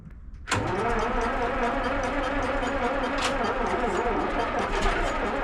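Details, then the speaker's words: Ex-military 1959 International dozer, gas-and-diesel engine, sat months at scrap yard: cranking catches abruptly into rough ragged clatter that holds briefly, firing on sprayed ether starting fluid; fuel supply uncertain. "Nice. She's got a little life in her. I mean, that looked like diesel."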